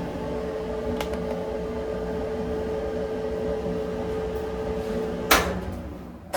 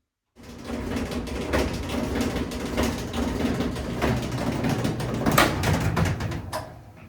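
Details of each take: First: Maytag electric dryer after removing the cause of its thumping noise; drum tumbles with smooth quiet hum, no thumping or scraping, repaired and healthy. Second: Maytag electric dryer running: low rumble with frequent irregular thumps and rattles about four per second; noisy dryer drum, likely from items like zipper pulls caught in the dryer, uncleaned for about a year.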